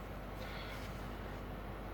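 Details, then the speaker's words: 2007 Nissan Primera P12, 170,000 km, cold start at −17 °C, wheel turned at idle; pump previously howled, including at full lock. Only a smooth, even engine idle is heard, no hum or whine from the pump. Normal power steering pump. "поворачиваю руль вы чего-нибудь слышите Я ничего не слышу я слышу только Как ровно работает моторчик"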